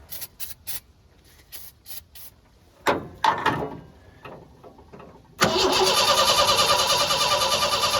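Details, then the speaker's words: 1986 Ford F-150 old farm truck, cranked after working on a battery terminal, using starting fluid and checking the plug wiring. Clicks, then steady cranking about three beats a second that never fires; a corroded coil wire was found afterward. "it's not even trying foreign well I've done a little more investigating in here and this one's coming from the coil so it's corroded and pretty gnarly"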